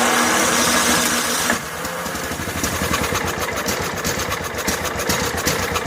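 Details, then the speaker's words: Snapper SR1433 rear-engine rider, sat 8 years, fuel line primed into filter: roars briefly, then lumpy uneven chuff about four beats a second struggling to stay lit; carburetor fuel fault, needle later found badly stuck in seat. "Go back into hyper starter mode here. Still not much fuel."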